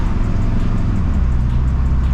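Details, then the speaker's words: 1964 Chevy with swapped 4L80E and new torque converter, just shifted into third while driving; owner suspects low fluid causes hard launches from a stop: steady drone pulling evenly, no slip, flare or clunk; normal shifting. "but everything else seems pretty good like you see I just shipped it into third it sounds really good"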